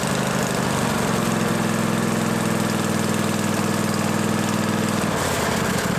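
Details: John Deere L-Series lawn tractor running after a deck spindle replacement, a constant droning hum riding on the steady engine: both deck belt-guide idler pulley bearings are worn and need replacing.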